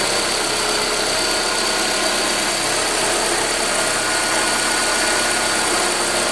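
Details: Ford Escort 2.0L at idle: constant high-pitched hiss and whir over little low-end rumble; abnormal engine noise of unclear cause.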